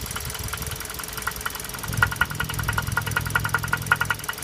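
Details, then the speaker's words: Toyota RAV4 third-generation facelift, 3ZR-FAE Valvematic petrol engine at idle: sharp light knocking from the top end, two to three a second, caused by the brake booster vacuum pump, not timing chain tensioner or camshaft. "То есть молоточка, да, сразу все пугаются, неисправность. А говорят, что возможно включить цепь, там натяжителя или распредвал. Всё эта ерунда, а стучит именно вакуумный насос."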